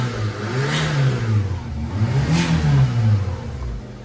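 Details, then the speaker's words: Daihatsu Mira small petrol engine revved twice after tightening a loose exhaust bolt: smooth, low, no squeal or diesel-like exhaust-leak puffing; earlier squeal and leak noise gone. "crazy should I turn it off yeah it's not making noise I know a loose bolt wow"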